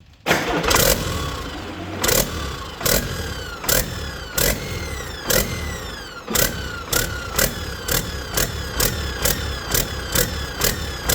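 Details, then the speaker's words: Detroit 40 series (rebranded Navistar DT466) generator turbo diesel, sat outside 5+ years, after bleeding injectors: starts, then idle surges about every second, throttle going back and forth; owner suspects the flywheel governor. "I don't know why it's jumping like that. The throttle itself is going back and forth."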